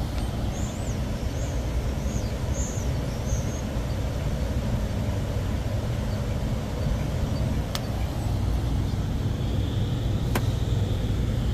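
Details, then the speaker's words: Rooftop AC unit with no cooling after a storm, now running again: constant low fan and compressor hum, even, no surging or rattles, birds in background. A tripped pressure switch was the cause. Normal running. "Yep, everything kicking on, fan kicking on."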